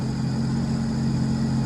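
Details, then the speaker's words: 2010 Sea-Doo RXT 260 with SBT rebuilt engine, airbox off, warm idle, mid-40s °F, no check engine lights: steady smooth idle, even low hum with faint constant whine, no misses or knocks. "and that's what we want so can we pop that seat cover open this engine sounds really really good"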